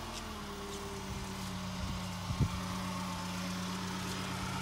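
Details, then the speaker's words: 2000 Fiat Panda Young (141) engine at idle on a very hot day, after rebuild fixing worn rings and oil entering the combustion chamber: new rings, valve seals, lapped seats, oil pump, radiator, thermostat, timing chain and tensioner; quiet, even hum with soft bumps, healthy idle. "sentite praticamente nessun rumore tutta un'altra cosa ma è proprio un'altra cosa io un motore di panda così silenzioso non l'ho mai sentito"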